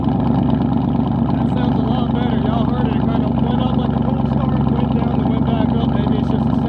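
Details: Cammed 450 HP lifted Tahoe V8 after installing new auto air control valve to fix high idle: loud choppy idle with steady even lope, no hunting or stumbling; idle running right.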